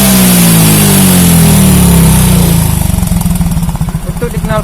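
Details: Yamaha Mio J scooter, rough rattling engine: as revs fall to idle, a hard regular clatter of about three to four knocks per second; worn cylinder and loose piston rings, possibly from late or wrong oil changes.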